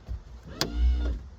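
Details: 1987 Bayliner Capri drive unit trim motor tested after fuse box cleaned of oxidized contacts and reinstalled: short clean electric whir rising and settling under a second, no grinding or stalling; normal operation.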